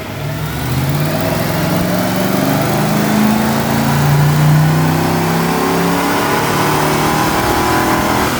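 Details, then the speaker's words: 1986 Ford Mustang with swapped used 302 V8 on dyno, timing advanced, second pull: strong, even roar pulling steadily at full throttle, no miss, knock or rattle; clean healthy run. "So now we are bumping up the timing, you see, and we're actually going to rev it out to 5,000 RPM the next time."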